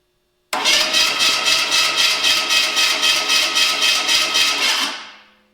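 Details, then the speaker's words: Small block Chevy V8 stored for years, first crank test on hooked-up battery cables; strong, even cranking about four compression pulses a second for four seconds, spinning freely; starter good though it needs shimming. "Needs to be shimmed. All right, starter's good."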